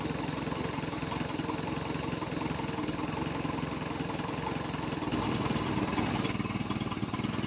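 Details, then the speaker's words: 1973 Larson boat, MerCruiser 120 hp 2.5L carbureted engine, dead cold, choke partly shut: quiet steady idle with soft even pulse, no misfires or knocking; normal cold idle. "yep that's it baby she's a runner that's from dead cold over 50 hours of"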